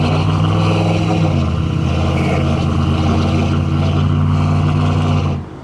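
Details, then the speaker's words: GM 5.3 V8 truck with code P0300 random misfire; idles unevenly with a lumpy, stumbling beat and exhaust pops/backfiring; check engine light had been flashing; owner plans spark plugs first. "now she doesn't misfire I could feel it why my truck definitely has a misfire listen to it"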